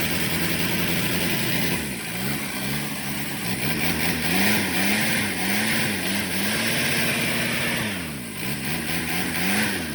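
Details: Shengong 20 diesel that would not start, after replacement of its high-pressure fuel pump; it catches and idles with rpm rising and falling and a few blips, firing evenly without misses.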